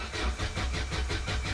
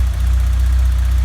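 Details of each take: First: 1991 Vauxhall Nova GSi, original 1.6 8-valve, cold start after long storage with fresh fuel in an empty tank: steady starter cranking about three turns a second for six seconds without catching while fuel reaches the engine; then starts. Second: 1991 Vauxhall Nova GSi, original 1.6 8-valve, cold start after months off with fresh fuel replacing old fuel that made it run very rough: a steady, even low rumble with no misses or knocks; normal idle.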